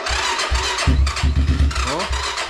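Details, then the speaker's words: Diabolini 250 Chinese cross/enduro bike, freshly refuelled, with a weak battery: cranks, catches and settles into an even, fairly quiet idle with regular low pulses and a mild, not-loud exhaust. Normal start and idle. "Tak, nawet fajnie chodzi ten chińczyk. Tak cichutko. Wydech nie jest taki kurde głośny strasznie."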